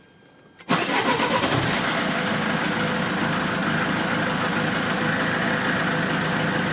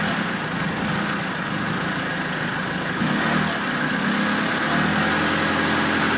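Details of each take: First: Diesel engine started after a fuel filter change: the engine catches after a short crank and runs with an uneven, stumbling beat and misfires as air trapped in the fuel system purges itself. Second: Diesel after fuel filter change, warm, restarted after air purged from fuel system with initial misfires: steady even diesel clatter at idle without stumbles; runs cleanly now, no leaks.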